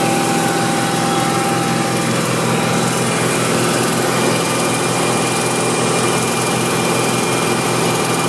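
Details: BMW M60 V8 held at a steady 2500 rpm: irregular, uneven ticking over the engine note, erratic rather than constant.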